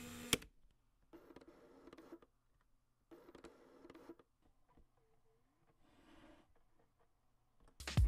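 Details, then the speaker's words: Megadap MTZ11 autofocus adapter on a Nikon Z camera: short soft whirring buzzes of about one second as the focus motor works. This is normal, though loud in a quiet venue. "one last frequently asked question is how noisy is it well it sounds like this"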